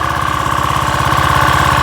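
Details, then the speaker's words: Craftsman 3000 psi 2.7 gpm pressure washer, Briggs & Stratton 190cc 8.75hp Quiet Sense engine, gun pressurized: steady even buzz held at speed by moving the throttle by hand, since a missing governor spring stops it reaching full throttle itself. "The way that I can make this work manually is actually by moving the throttle. So I'm going to open it up and move the throttle manually and show you."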